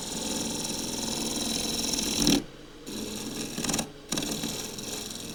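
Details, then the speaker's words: Woodturning lathe turning an elm spatula-pot blank just over 6 inches high: steady cutting chatter breaks into a brief harsh judder, meaning the workpiece was knocked slightly off centre. "Didn't like that noise at all. That little judder means it's knocked it slightly off centre."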